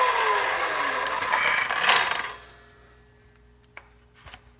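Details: Milwaukee Fuel 7-1/4" cordless circular saw cutting 2x4 lumber: after several cuts it won't start properly and stalls easily, regardless of which battery is used or how charged it is. A rough cutting noise as the motor whine sinks in pitch and dies within about two seconds.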